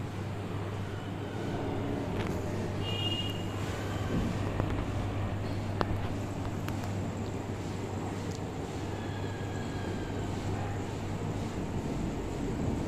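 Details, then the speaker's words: Samsung front-load washing machine making excessive noise during the spin, pulley and belt checked fine: loud constant low droning rumble with rattling on top; worn drum bearings. "बहुत भयंकर तरीके से आवाज कर रहे थे पहले आप ये देख लेने फिर मैं आपको बताऊंगा की इसमें क्या फॉल्ट है और इसको हम कैसे ठीक कर सकते हैं"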